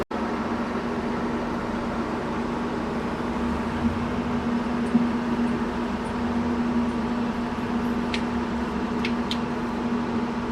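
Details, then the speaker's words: 19-year-old log loader diesel engine, fired right up easily: steady even idle drone and hum, no knock, hunting or misfire; engine sounds good, though hydraulics don't work, possibly low on fluid, and turntable has serious issues. "yeah that thing fired right up dude don't don't hit my truck wow yeah pretty easy sounds good too"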